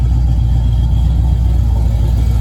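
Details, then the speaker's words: 1981 Camaro V8 after timing corrected (misfire gone): steady, even low rumble with no stumble or skipped beats; normal idle. "this prop timing and uh it it sounds a lot better"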